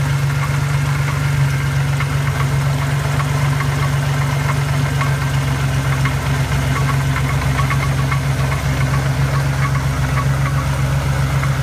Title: Knocking sound?